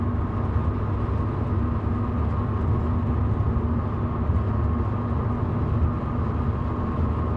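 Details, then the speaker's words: 1966 Ford Mustang driving on rough roads: a steady ringing resonance near 250 Hz over road rumble that does not change with road or engine speed and stops on smooth pavement; the Monte Carlo bar is suspected of ringing from road vibration. "can you hear that resonance 250 Hertz yeah uh I think it's the money Carlo bar ringing uh being set off by Road vibration it's always the same note uh doesn't change with Road speed engine speed or any of that"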